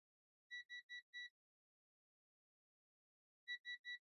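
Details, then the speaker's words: Zoyi ZT-706S multimeter in diode mode testing diodes (possibly Zener) on a power supply board: clean high beeps in groups, short and longer patterns; meaning unknown, maker to be asked. "Trois bips courts, un plus long, comme « ti ti ti ». Zut ! Il va falloir qu'on lui demande."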